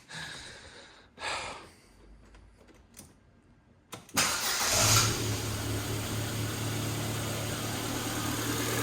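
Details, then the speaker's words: Ford Fiesta 1.2 Zetec after fix: a few knocks and rustles, then steady even idle with no rubbing or squeal; earlier noise was a rubber piece at the back sitting at an angle and rubbing the belt, now put back in place. "no noise so that's what it was around the back that rubber was rubbing against the belt and um yeah i just pulled it out put it back into place"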